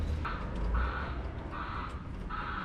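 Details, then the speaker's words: LS-swapped turbo Mustang on Holley Terminator X with CO2 boost control, idling after a run: low idle rumble under a high buzz switching on and off about every second, boost solenoids cycling nonstop; a leak suspected, probably the gates, not confirmed. "solenoids are going nuts just sitting here sounds like it's got a leak probably the gates themselves"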